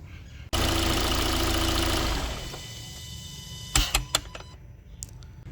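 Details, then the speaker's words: Kia Sportage engine shut off: a few sharp irregular clicks/knocks from throttle body right after stopping; began around 3,000 km; dealer says normal and common on Kias, though absent when new. "I took my Sportage to a Kia dealership and they pinpointed the source of the noise the turtle body they said that this is completely normal and there is nothing to worry about"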